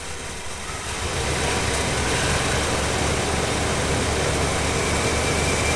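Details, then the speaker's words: 1992 Chevy Silverado that sat 14 years: loud coarse idle with uneven shaky beat and no clean rhythm; running rough but has oil pressure and is charging. "all right it is running pretty rough but"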